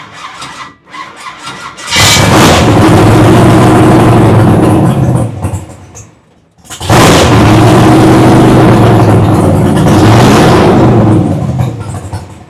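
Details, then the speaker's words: Big-block V8 first fire-up running cheap flush oil after old oil held water, carburetor not yet tuned for idle; catches and revs strongly twice with a little throttle, climbing and falling cleanly without knocks or misses. Normal running. "like it sounded good a little more throttle a little bit so we'll give it a little Scoopy doop woo buddy we are cooking with fire we are cooking with fire now damn that thing sounds good"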